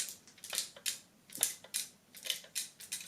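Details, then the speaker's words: Unpowered Seagate 250 GB OEM hard drive from a LaCie Biggest FW800 enclosure, tipped by hand: loose irregular light clicks and ticks like a broken part sliding inside; internal breakage suspected, not confirmed. "but that noise i'm not sure if you can hear that does not sound good that hard drive sounds like something is broken"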